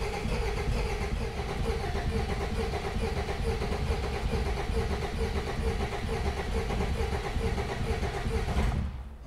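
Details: Peugeot 404 classic pickup diesel, sat unused for years: glow plugs heated, then a steady, even starter churn for about nine seconds with no firing; cranks but won't start. Injectors later tapped with a hammer to get fuel through before it fired.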